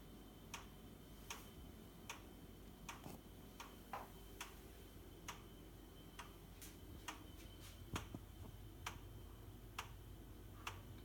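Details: Boxi boiler knocking: quiet hum with sharp, fairly evenly spaced ticks about every three-quarters of a second throughout; cause unknown.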